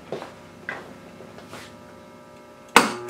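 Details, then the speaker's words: Earthshaker pinball (System 11), first power-up after rebuilding the power supply board, in diagnostic mode. Sharp, separate clacks as the bumper and slingshot solenoids fire normally, with a slight ground hum. "bumpers slingshots so the solenoids are firing we've got a little bit of GI we've got a little bit of a ground hum"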